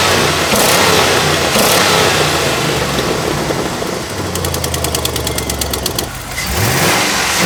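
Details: 2004 GMC truck running and revving cleanly, light fast ticking over loud exhaust lacking a muffler; normal injector noise, engine sounds healthy.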